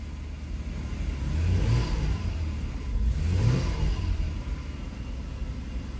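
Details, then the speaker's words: 2005 Hyundai Santa Fe 2.7 V6 (SM), next day reassembled after fuel filter repair: primed cold start catches, swells twice in smooth revs, then runs evenly without faltering; previous start-and-stall problem gone. "absolutely fine fantastic so there we are all back together and working now starting and running fine"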